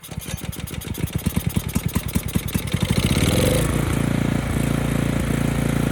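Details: Ridgid generator's Yamaha MZ300 engine: rapid cranking pulses, then it catches and runs smooth and even with no knocks; engine fixed, though the generator still produces no power.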